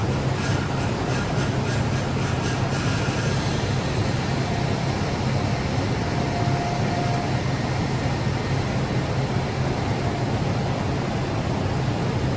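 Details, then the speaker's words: 2013 Nissan Armada after a power steering leak repair and fluid refill: steady low drone at idle with a faint pump whine that eases gradually as air works out of the fluid. "as you guys could hear it's getting better and better as it runs the air is coming out of it"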